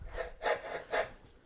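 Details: Cheap compactor plate unused for over a year, exciter shaft turned by hand: dry, gritty rasp in bursts each turn; bearings failed from lack of oil, being replaced on both sides.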